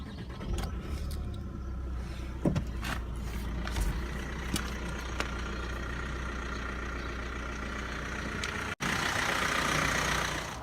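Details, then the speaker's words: Vauxhall/Opel Astra K 2017-2018 diesel idling evenly with steady low clatter and no misses after draining water from the fuel filter trap and self-bleeding; the water-in-diesel warning was fixed. "Prime the system start the car very easy self bleeding and that's the end of it it's a nice simple repair"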